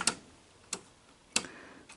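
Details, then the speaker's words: Sony SL-HF500 Beta HiFi VCR: sharp dry clicks about every 0.6 seconds as the loading arm is pushed, arm not moving freely; owner suspects a stripped loading gear with a sheared tooth, a mechanical fault besides electrical problems. "it's actually sounds like it's um got a tooth that's sheared off or something so yeah this thing's got more than uh more than just electrical problems it's got a mechanical problem"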